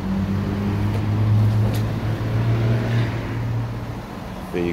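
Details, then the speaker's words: Mercedes-Benz with 203,000 km, rev test inside a car wash: deep, even exhaust drone echoing off the walls, pulling cleanly without rattles or misses; plenty of power and little smoke, the engine sounds healthy and strong. "that's a sound test for you it's uh it's got plenty of power 203 000 kilometers and it still sounds good"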